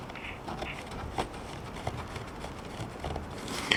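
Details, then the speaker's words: Cheap pocket AM transistor radio, good battery, worked about 6 months ago: pop at switch-on, then no station or hiss, only faint scratchy crackles as the volume knob turns; receiver dead, volume control scratchy. "you can hear there's basically no activity uh except for the volume you can hear a little bit of scratchy from the volume control and a pop when you turn it on"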